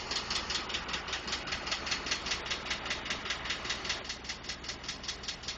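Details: 2012 Ford F150 5.0 V8 at idle: a crisp, even tick at about 2.5 per second. Others suggested normal noise from the injectors, the fuel pump or engine tolerances; the cause is unconfirmed.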